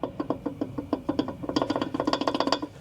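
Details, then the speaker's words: Tesla Model S front suspension, battery removed, control arm rocked by hand: sharp hollow clunks about eight to ten a second from the worn upper control arm ball joint, the source of the rattle over bumps that new sway bar links didn't fix. "you remember this car always had a rattling noise going over bumps and I changed the uh sway bar in links in hopes that that was going to fix it listen to this that's the ball joint hear"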